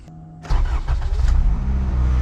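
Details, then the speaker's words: 1998 Acura Integra after hammering the belt tensioner to loosen a slapping belt/harmonic balancer noise: brief crank, quick catch, even idle with no rattle or squeal, noise gone. "Oh, much better. Don't even hear it anymore. Perfect."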